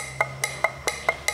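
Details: Audi 1.8 TFSI turbo with code P0016 (intake cam timing out of phase), running weak and misfiring: old camshaft adjuster, removed and shaken by hand, gives sharp, hollow clacks about five times a second from free play, compared with a new one.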